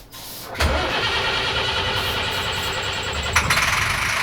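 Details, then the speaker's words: Abandoned diesel motorhome, cranked after installing a new ignition: the starter whirs the engine steadily for about three seconds, then drops off without a catch; cranks but won't start, cause unconfirmed. "And after a few tries, we just got a same result."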